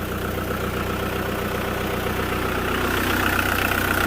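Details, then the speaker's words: VW T4 diesel van idling and warming up after an oil leak was fixed: steady, even beat at about four per second with no misses or knocks, checked for further leaks. "he has fixed it now and we're just letting it run up to temperature and make sure it's not got any more leaks"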